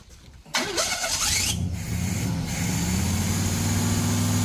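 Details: Burned 1968 Pontiac GTO being revived, first fire on its Quadrajet carburetor after priming. The starter whirs, the engine catches within a second and settles into a steady, even idle with no misses. Normal start and idle.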